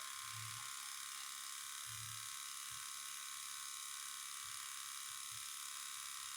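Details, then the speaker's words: Cummins diesel from a stripped bus, sat outside nearly 3.5 years, fed from a diesel can: key barely bumped, a faint steady electric whir runs for some seconds then shuts off. This is the electric lift pump priming. "all right so a lot of times what you can do is just barely bump it over and you hear the fuel pump running it'll run for so many seconds and shut"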